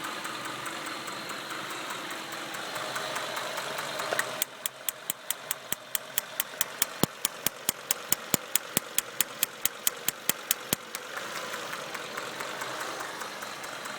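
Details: 1996 Acura TL 2.5 five-cylinder at idle with a cylinder 1 misfire: crisp snapping ticks, a bit over two per second, over an uneven idle. Spark is escaping from the distributor cap at cylinder 1 only; the owner hopes replacing the cap fixes it.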